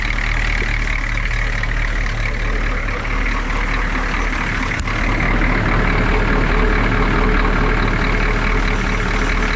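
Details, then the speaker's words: Humvee diesel at idle just after valve cover gasket replacement (CDR valve, intake and fuel lines also removed and refitted): steady low rumble with even clatter, no misses or knocks; oil pressure and voltage good, normal idle. "obviously it fired up and um just kind of looking at everything got oil pressure we got voltage this is all right"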